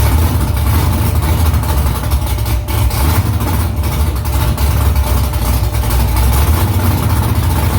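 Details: First start after new headers were installed, exhaust back under the car; louder under the seat. Deep, even, lumpy V8 rumble holding steady, no knocks or misses. Smoke is from silicone drying around the header. Normal idle.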